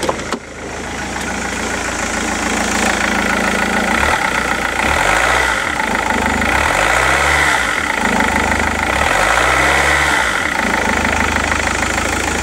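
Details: Rover 75 CDT diesel after fuel filter and fuel pump service, running: steady even idle with light regular clatter, no misses or knocks; running sweetly.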